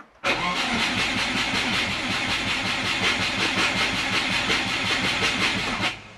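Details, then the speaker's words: Turbo Subaru Forester after ECU update, mid-pipe and oil cooler fitted, injectors turned on: starter cranks steadily about five seconds but never catches; no start, owner suspects flooded spark plugs, and the plugs prove wet. "Nothing. Absolutely nothing. H You know what? I've probably just um totally flooded the spark plugs."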